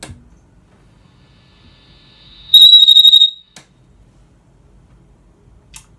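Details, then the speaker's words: Dr Z EZG50 amplifier taken off standby: after a click, a piercing high whistle pulses rapidly and then stops. The squeal started recently and is suspected to be oscillation or instability; the cause is not confirmed. "It sounds like some oscillation, some instability, and we're going to have a look and see what's going on."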